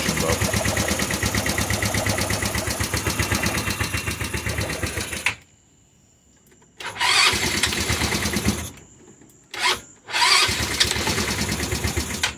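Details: Rebuilt GY6 scooter engine with new head, piston, cylinder kit and new carb, first crank after rebuild, run switch initially off and battery low: quick, even putter for five seconds, cuts out, then fires again on restart; healthy running.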